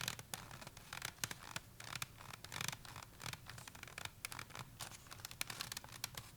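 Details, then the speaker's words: Bicycle helmet with a plastic MIPS liner giving irregular dry crackles and creaks as the slip liner rubs against the shell; the creaking is worst on climbs and also audible on road rides. "jeśli się wsłuchacie w ten kask, usłyszycie jak trzeszczy, najbardziej trzeszczeć będzie na podjazdach."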